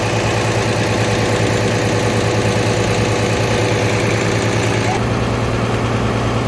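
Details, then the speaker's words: International 1086 diesel tractor after hydraulic filter and oil change, in park with throttle slightly raised: sluggish cranking, then a steady knocking idle; slow cranking, owner suspects a low battery needing the charger (alternator recently replaced). "Sounds like I need to put the charger back on it."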